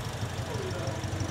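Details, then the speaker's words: Toyota Vios after an engine overhaul, refilled with coolant and fully synthetic oil: a steady, even low idle with a soft regular pulse and no knocks or rattles; all engine systems working normally. "Semua sistem untuk enjin ni beroperasi seperti sediakala."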